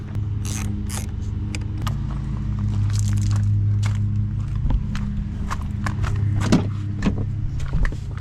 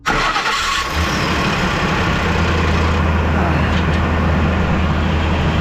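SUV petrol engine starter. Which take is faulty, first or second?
second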